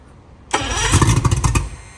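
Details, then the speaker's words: Project boat engine with about 100–110 psi compression on all cylinders: about a second of uneven cranking chuffs that never catch, then silence. Cranks but won't start; owner suspects a fuel delivery issue and wonders whether a fuel pump exists. "Okay, so we're still having some type of fuel delivery issue. I wonder if there's a fuel pump on here."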